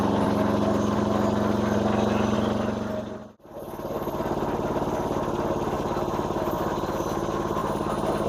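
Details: Massey Ferguson MF-7 tractor under restoration, running with mower blades not engaged: even, steady running note with a regular beat and no misfires or hunting; normal unloaded running.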